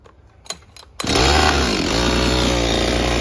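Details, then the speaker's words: Husqvarna 562XP chainsaw with hard starting and no idle, after replacing leaking decomp valve: a couple of pull clicks, then it fires and runs steadily at wide-open throttle. "[Music] oh seems to run fine"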